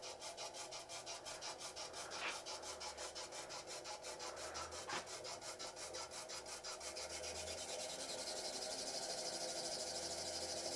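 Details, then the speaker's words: Laguna DP20 drill press, new, first start-up at 60 rpm spindle speed: dry rhythmic rubbing about three strokes a second, doesn't sound good; something scraping as it turns, cause unclear. "Let's see. Oh, that doesn't sound good. Huh."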